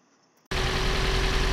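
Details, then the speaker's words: About 2013 Toyota RAV4 with fuel injection and one coil per cylinder: after start, rough throbbing idle with deep uneven pulse, engine visibly shaking; misfire at idle, being isolated by pulling coils. "on the Rav4, we basically have a misfire on this car. You can see the way the engine's shaking."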